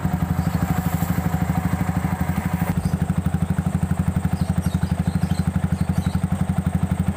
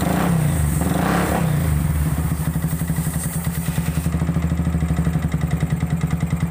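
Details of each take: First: Yamaha Vixion after replacing the failed water pump seal, cylinder block and piston rings; the coolant had run dry and the block knocked before. Now an even, steady idle thrum, about four pulses a second, with no knock: normal running. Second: Yamaha Vixion that ran dry of radiator coolant after a failed water pump seal, with coolant mixed into the oil: harsh, rough rattle at idle; piston slap and cylinder knock from overheating.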